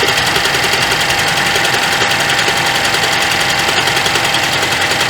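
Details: 2012 Chevrolet Traverse 3.6L V6 with codes P0300, P0304, P0354, after new plugs and cylinder 3 and 4 coils: rough idle with uneven stumble and a skip while cranking, a misfire; cause unconfirmed.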